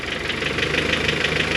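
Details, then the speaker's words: Honda H22 (G23BK) engine at cold idle, ticking heard at the cylinder head, not the piston; lost motion actuators replaced and timing belt tightened without fixing it, owner suspects valve springs/retainers. Fast, light, evenly spaced top-end valvetrain tick. "it's not the Piston no it really it does coming from uh from the cylinder head right here"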